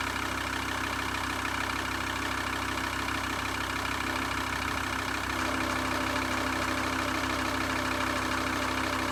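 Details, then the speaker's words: VW T4 2.5 TDI van idling: steady drone with regular beat about three a second; power steering pump knock eliminated but serpentine belt vibration persists, tensioner, pulley or damper suspected. "It's eliminated the noise from the power steering pump noise that it was making, that like clicking, knocking kind of sound. So we've eliminated that, but we haven't eliminated this vibration on the auxiliary belt, on that serpentine belt."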